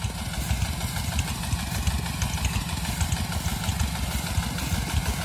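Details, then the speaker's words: New Dongfeng 16 hp single-cylinder diesel driving a new 6-inch pump irrigating a field, heard from a distance: steady, relaxed, even thumping under pump load, no knocks, rattles or misses; normal running. "penampakan dari jauh ini kalau ke dengarnya itu bunyinya mesinnya itu sangat santai sekali temen-temen kita dekati saja ya biar lebih jelas"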